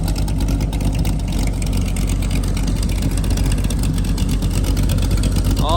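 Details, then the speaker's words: LS3 airboat engine after Holley Sniper fuel injection conversion, untuned and still learning air-fuel mixture: deep, even V8 rumble at steady throttle with no misses or stumbles, sounding good; normal running. "So she's sounding really good. Sounds like it's gonna run real good."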